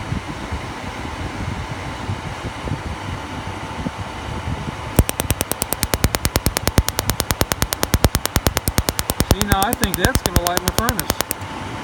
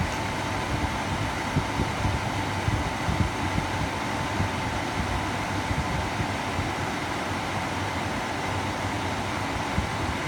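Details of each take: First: Atwood 8525 furnace igniter after adjusting the electrode-to-ground gap closer: sharp, evenly spaced spark ticks, about two to three a second, over a fan hum; the adjustment shortens how long it sparks during startup. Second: Atwood 8525 RV furnace, igniter being adjusted after clunk-but-no-ignition retries: steady fan rush with a faint constant tone and no distinct igniter clicks; blower runs but ignition unconfirmed.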